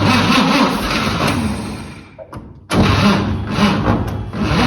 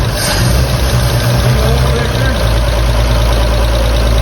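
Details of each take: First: 1954 Chevrolet 3100 truck, original 235 straight six converted to 12V, parked since 1978: sluggish uneven cranking about four turns a second that fades and stops; starter labouring, owner suspects it's overheated. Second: 1954 Chevrolet 3100 truck, original 235 straight six converted to 12V, first run since 1978: deep steady low rumble, even beat, no tapping or knocking, oil pressure present; idles smooth and tight, some smoke from tailpipe.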